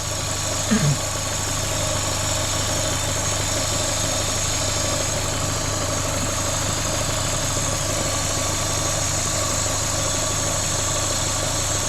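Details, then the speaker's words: Vauxhall Corsa VXR petrol engine, replaced the week before, idling with a loud, steady hiss over the hum; it bogs down on acceleration and has the engine light on. Vacuum leak from a cracked cam cover. "It's quite a loud vacuum leak, so it should be pretty easy to find."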